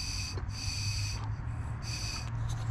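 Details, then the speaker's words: 2009 Hyundai Santa Fe 3.3 automatic FWD with code P0441 and hard starting after refuelling. Air hisses in short puffs through the unpowered, normally closed EVAP purge solenoid, which is leaking through and needs replacing. "so right there it should be totally closed nothing you probably can hear on the video"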